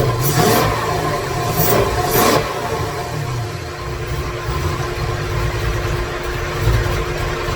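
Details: 2017 Corvette Z06 with a Texas Speed 416ci stroker and Holley port injection, first crank with no tune loaded and no coolant: lumpy, uneven V8 firing that surges and stumbles at a fast idle. It runs very rough due to the missing tune.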